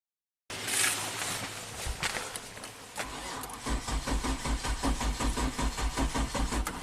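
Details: 2005 Kia Sorento 4x4, intermittent crank no-start now permanent despite new fuel pump and crank sensor; dealer blamed ECM: starter churns steadily, about two or three turns a second, engine never fires. Crank no start.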